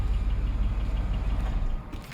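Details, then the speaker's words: 2008 Buick LaCrosse Super V8 with DOD, about 10,000 miles since owned, knocking for a few months: low steady idle with a repetitive knock; rod knock or collapsed lifter suspected, unconfirmed. "This only put like 10,000 miles on it since I had it. And it started knocking like a few months ago."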